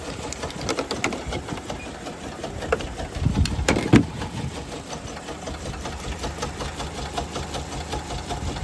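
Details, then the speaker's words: Toyota Kluger, 331,000 km, first start after sitting for years on fresh fuel; quiet uneven idle with a tapping knock about four per second, doesn't sound healthy, smells cooked; engine knock, cause unclear. "watch the fired right up but she doesn't sound very healthy at all"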